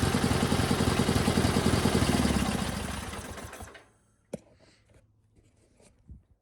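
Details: GT/18 after new ignition system (non-original coil), no choke, low idle, charging working; even steady putter winding down cleanly at shutoff. Runs better than before, carburetor tune still needed. Normal idle.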